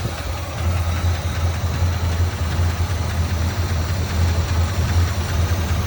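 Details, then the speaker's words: 1979 Chevrolet Scottsdale C10 with a 350 (5.7L) four-barrel V8, running on tank fuel after starter fluid got it going: a low, fairly steady V8 idle with a slight lope and no distinct knocking. Oil pressure is about 50 psi, though the carburetor's accelerator pump is leaking fuel. "all right she's running I had I squirted some uh starter fluid in there to get her going"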